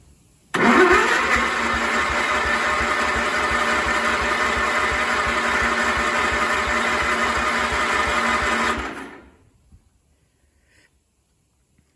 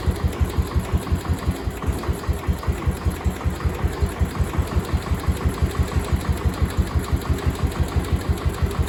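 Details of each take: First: Cub Cadet 1250 hydrostatic, sat 20 years, after freeing a stuck carburetor needle seat: catches, runs about eight seconds, then dies; cause not confirmed. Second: Cub Cadet 1250 hydrostatic, sat 20 years, after adding gas: single thumps evenly about three a second, quiet exhaust, no smoke, no knock or miss; healthy idle.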